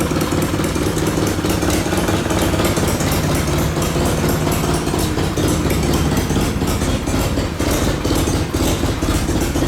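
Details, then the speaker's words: Classic Mini 1100 Special Convertible, accident damaged: loud rough idle with raspy puffing chatter over the engine beat; the hit subframe pushed the engine back and crushed the downpipe, so it's blowing exhaust at the back. Compression measured 160 psi on cylinder 1. "It's actually crushed at the back where the subframe has been hit. It's pushed the engine back and it's crushed the downpipe. That's what's making the noise."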